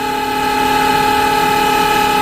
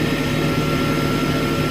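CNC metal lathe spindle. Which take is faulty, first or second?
first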